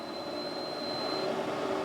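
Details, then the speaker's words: Off-grid cabin on grid-fed energy storage drawing about 600 W, mostly the pump and air conditioner, while the RCD keeps tripping. A thin, steady high whine sits over a soft hiss under load; the owner wonders if it is a fan bearing. "Piszczy. To jest użycie. Słyszycie? Ciekawe czy by łożyka na wentylatorach."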